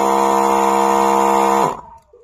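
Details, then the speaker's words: 12 V DC diaphragm spray pump powered by a 12 V lithium iron battery, running dry with no water: loud, harsh steady buzzing drone near 200 Hz that dies away; sound changes completely once water is supplied. "পাম্পে water না থাকার জন্য কিন্তু আওয়াজটি এরকম হচ্ছে, water দিলে কিন্তু আওয়াজটি সম্পূর্ণ চেঞ্জ হয়ে যাবে।"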